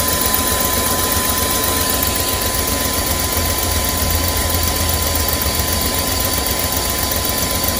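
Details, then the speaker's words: 2001 Chevy Express van, 4.3 V6, run very rough after sitting nearly 3 years; after spider injector, coil and distributor replacement, first start on starting fluid: ragged shaky idle, uneven thumping, harsh rattle, smoking; misfire, cause unconfirmed. "looking pretty bad as it should there was a lot of stuff going inside that engine it wasn't smoking period before this so let's see if it clears out"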